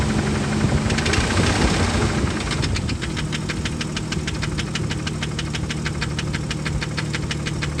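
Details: 1998 Jeep Grand Cherokee Laredo 4.0 inline-six, 233k miles, revs raised by pressing the throttle body: sharp regular knock about three times a second over idle, quickening with rpm; engine knock, source not yet pinned.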